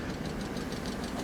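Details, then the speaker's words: 1997 Mercedes S500 Coupe (W140) V8: steady even idle with soft regular pulse, light mechanical tick and smooth low hum; sounds healthy. "But it sounds good, doesn't it?"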